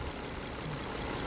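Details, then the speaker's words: Car repaired for a cylinder 5 misfire, idling after repair: steady, even idle with no stumble or skipped beats; running smoothly on all cylinders. "I mean it it runs fine I let it sit here ID for a little bit"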